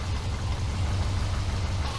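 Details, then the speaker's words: Subaru Forester with rebuilt EJ251 just reinstalled, first cold start: deep, uneven rumble and chuffing at idle from a leaking front exhaust pipe. Exhaust leak. "well the front pipe is definitely leaking sounds rumbly though"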